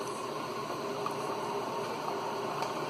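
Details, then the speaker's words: Keurig 2.0 K300, which had not been pumping, after cleaning its mechanical pump and tubes of coffee grounds and descaling with vinegar, brewing a 10 oz large cup in about 50 seconds before reassembly: steady pump buzz, low hiss and faint bubbling; normal brew. "But that's it, it's fixed. It's a large cup here, 10 ounces. You can hear it buzzing away."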